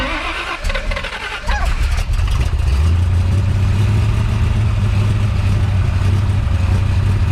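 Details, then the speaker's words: Big-cam big block Chevy with a rebuilt Holley 750 Double Pumper stumbles and surges at idle, kept alive by repeated throttle pumps. It runs very rich yet seems short of fuel to idle alone; idle mixture screws to be checked. "so far what it seems like is that I'm having to keep pumping the accelerator to keep the engine running even though it's running stupid Rich it's almost like it's not getting enough fuel to keep idling on its own"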